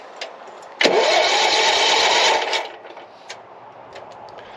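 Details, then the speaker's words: Ride-on mower engine for go-kart project, first start with a swapped-in battery after turning fuel on: catches and runs roughly under two seconds then dies; strong fuel smell, owner suspects flooding, unconfirmed. "well it definitely runs so it just didn't want to stay running so I'm wondering if it's not I can smell fuel right now really good so I'm feeling like possibly it's um flooding"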